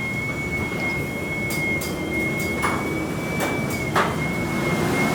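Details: Garage door sound test before installing commercial green hinges and roller sleeves: steady high whir as the door travels with scattered light rattles and clicks from rollers loose in their sockets and hinges.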